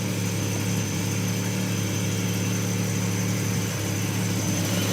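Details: Volvo 164E with D-Jetronic injection, started at night after injector work: steady, even idle with a smooth low hum, no knocks or misses. Running healthy, normal idle.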